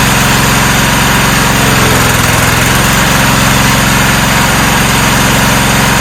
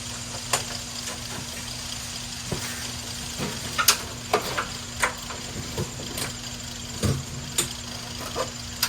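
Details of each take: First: 1994 Cub Cadet HDS2135 riding mower, unused about 10 years, now running: even, steady small-engine putter at a constant idle with no stumbling or knocking. Normal idle. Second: 1994 Cub Cadet HDS2135 riding mower, unused about 10 years, spark plug cleaned and refitted: clicking while cranking, then it suddenly catches and roars steadily for a few seconds on fuel primed into the cylinder. It runs briefly.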